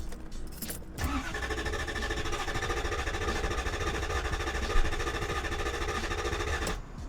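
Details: LS400 that drove fine days before: starter cranks the engine at a steady, normal pace for about six seconds but it never catches; crank no start. Fuel pump tested and flows fuel; injector fuse next suspected.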